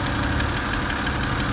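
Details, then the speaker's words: Sharp, light lifter ticks at about six per second over a steady idle on a BMW N52 engine, still present after a first fix attempt; later cured by repeated hard revving. "we're gonna go and see if this lifter noise is gone okay let's go and see nope it hasn't gone it's still lit"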